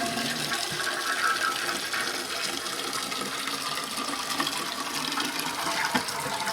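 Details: Toilet after fill valve (Fluidmaster) replacement, previously leaking and noisy: strong gushing flush settling into a steady hiss of the tank refilling, no sputter or whistle; new fill valve works properly.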